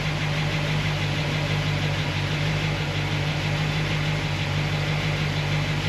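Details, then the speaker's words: Solid roller lifter engine, warm idle after fixing pushrod guide plates: steady, even hum with no sharp ticking, slight noise on passenger side; fixed, cause was guide plates, normal idle. "Drive it around a little bit, but for me, this seems like this is a win. This is a fix. So it was the guide plates."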